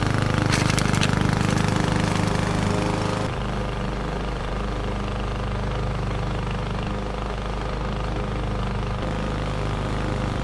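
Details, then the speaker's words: 21-inch Husky push mower (11A-B2M7031), Powermore OHV engine, fresh oil, started first pull: steady, even single-cylinder drone dipping slightly as the blade takes grass while mulching, no misses; fairly quiet, no issues. "no issues to report it started first pull and had absolutely no issues mulching the lawn and I've got to say I'm pretty impressed with the power more engine"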